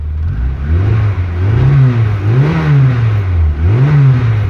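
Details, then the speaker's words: MK2 VW GTI with continuous (CIS) fuel injection, on stands without rear wheels, slow to start while air bleeds from the injector lines: smooth, clean revs rising and falling in even blips, no misses, knocks or rattles. Healthy engine revving. "gosh she sounds good we still have all our gauges"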